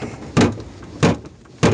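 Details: UAZ Patriot, 8 years and 100,000 km: three door slams sound hollow and tinny with a short rattle after each; the factory sound-deadening inside the door has come unglued, with rust underneath.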